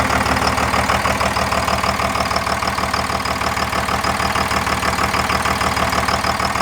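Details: Second-gen 24-valve Cummins diesel after bleeding air from the injector lines and a brief throttle blip above idle; steady, even clatter with no misses or hunting: cleared up and idling normally.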